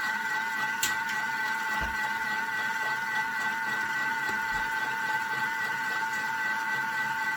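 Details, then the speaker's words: Thermomix at speed 4 whipping cream (cream and water) toward butter: steady motor whine with soft, uneven slosh about three to four times a second; still whipped cream, not yet the clunk of butter. Normal whipping. "Okay, so I didn't hear it change, but I'm going to show you what this is looking like. So right now we have whipped cream. Now this needs to keep going."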